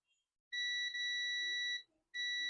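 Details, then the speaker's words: Dell Latitude E5250 logic board, no power and not charging, with the shorted MOSFET removed: a steady continuity beep at the current sensor resistor shows a short remains on the board. "Whoa, the MOSFET is shorted. You can see it's beeping. You hear that beep?"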